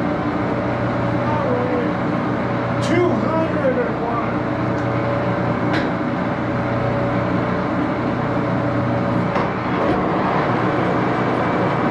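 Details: Axelson 14x30" heavy-duty gear head lathe run through its speeds, headstock filled with AW68 hydraulic oil (about SAE 20); loud even gear whine and hum with a few shift clicks; noisy but normal running.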